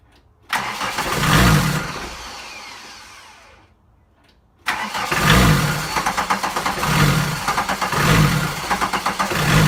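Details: VW 1.6 TD diesel crank no-start: long cranking that surges as if trying to catch, stops, then more surging cranking that never runs.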